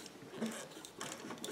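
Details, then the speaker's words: Singer 457 sewing machine turned slowly by hand during lubrication: soft irregular ticking and faint dry squeaks, owner suspects the plastic gears; squeak when hand-turned. "okay I'm gonna give this a couple rotations manually here see if I can feel any reduction in friction here and a little bit of squeaking I don't like that kind of sounds like it's the plastic gears"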